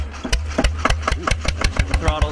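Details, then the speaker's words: SABB GA 12 HP air-cooled single-cylinder diesel started at full throttle, about 80 degrees out; slow cranking chuffs quicken into regular firing and catch first try, and a governor keeps it from running away. "she does have a governor on her so she's not gonna go too fast she's not just gonna run away"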